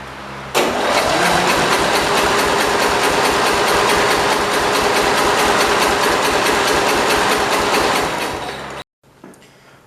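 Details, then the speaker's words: Cub Cadet 482 garden tractor bought from the original owner's son, non-original exhaust fitted: fast even cranking about three or four strokes a second, never catching; owner judges low compression and concludes the head gasket is leaking, seeing material come out. "all right so i think we're just gonna go with the head gaskets leaking i am seeing stuff come out over"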